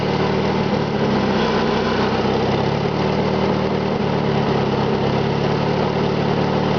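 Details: Car at idle: steady engine note with a few faint irregular knocking thumps that come and go; intermittent engine knock.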